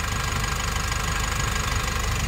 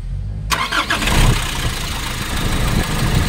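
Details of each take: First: Nissan NV350 diesel after replacing the injector washers and one fuel injector. The knocking is gone and there is no check engine light. Even diesel clatter at idle with a steady rhythm and no misses or surging. Normal idle. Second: Nissan NV350 diesel with valve cover off, after replacing injector washers and leak gone: cranks and catches, then a hard uneven clatter with vibration; fuel knock blamed on failing number three injector.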